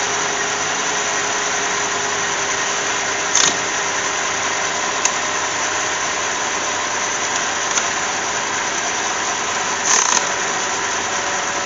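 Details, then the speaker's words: 2007 Cadillac 3.6 VVT after fuel injector replacement for a cylinder 1 misfire, engine cover back on: steady, even idle hum with no skip or stumble. Normal idle. "oh we snap the cover back on let's see if she runs well it sounds okay"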